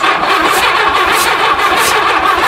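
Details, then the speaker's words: 1982 Honda Goldwing GL1100 barn find, sat 20 years, carb cleaner sprayed into one cylinder while cranking: hissy churn with soft puffs and no firing as the cylinder spits the spray back out; valve stuck open. "wow see y see what it's doing just s spitting it back out it means that valve is stuck open"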